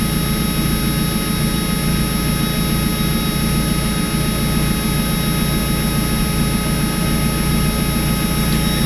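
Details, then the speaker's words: Warm Mazda Miata four-cylinder: a mildly rough idle with a slightly uneven beat and no clear misfire pattern. The cause is unconfirmed; the owner plans a new sensor and an OEM NGK O2 sensor to replace an aftermarket Walker unit. "It's not acting out. It's running a little rough, though. Feels like it."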